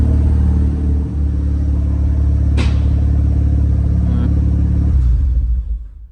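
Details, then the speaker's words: Mazda RX7 FD3S rotary at idle after oil change, letting fresh oil circulate: smooth, even low rumble with steady beat, no knocks or misses, sounding slightly smoother than before, then switched off; normal idle. "what sounds like the engine stars slightly smoother than before i don't know why but it sounds slightly different"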